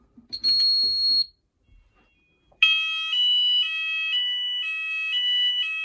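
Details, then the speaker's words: Apollo XP95/Discovery addressable house fire alarm covering the upstairs, on a full evacuate signal with one device tested. A loud two-tone warbling alarm cycles about twice a second. "we're going to see what it sounds like with the rest of the house we're going to press evacuate now i'm going to test only one device"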